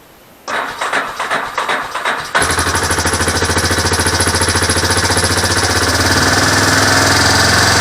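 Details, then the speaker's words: Four-wheeler engine on original carburetor, cold-natured, started on choke in neutral: cranks two seconds, catches and settles into steady even idle; running fine, may stall as choked too briefly. "Sounds good. And that's with the original carburetor, and I got you in that sun."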